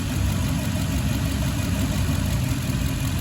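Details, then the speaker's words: Toyota Tundra V8, number 6 suspected bad coil pack, number 8 coil unplugged, water suspected in fuel: deep, uneven, lumpy idle rumble; running on two dead cylinders. "Now, I'll show you, because number 8, when you unplug it, it changes. Watch."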